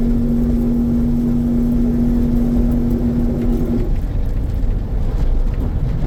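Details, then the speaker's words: Diesel truck driving: steady low humming vibration heard only on the throttle, vanishing when off the gas; load-dependent drivetrain vibration, cause not confirmed. "have to listen really close but you'll hear a noise like a humming SL vibrating and you'll hear it you'll pretty much you'll know what noise I'm talking about because you'll hear it and then you won't so when you're not hearing it I'm off the gas when you are hearing the noise I'm on the gas so you got to listen close"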